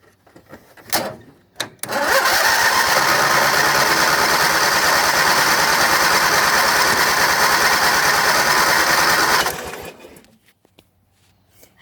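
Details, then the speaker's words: John Deere GT225 lawn tractor with weak battery needing charge: about seven seconds of steady cranking at roughly three beats a second, never catching or firing; owner wonders whether it lost spark — cranks, no start. "i tried to start that thing it didn't start either we'll try that again still got to charge battery this one won't start either"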